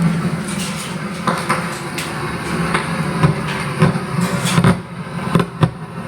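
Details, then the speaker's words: Audio amplifier with no music playing: irregular sharp crackles and pops come through the speaker. "ataupun yang mempunyai amplifier seperti ini pernah mengalami amplifiernya mengeluarkan suara seperti ini di saat musik tidak ada nah ini tuhulkan [Musik] keratak Kretek keratak ketek di speaker jadi contohnya di speaker seperti ini sahabat-sahabat"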